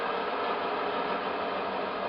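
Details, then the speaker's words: Mecacyl friction demo rig, ball pressed on a rotating wheel carrying a conventional oil film under 5 kg load: a steady, harsh hissing grind with strong vibration, as the thin oil film reaches its limits. "entend de for vibration un fort bruit et on a toujours pas de la charge sur modu jqu aujourd'hui la charge d'un F moduile la résistance de la f modhule est de 5 kg 5 kg que je représente et que je mets en action on entend beaucoup de bruit"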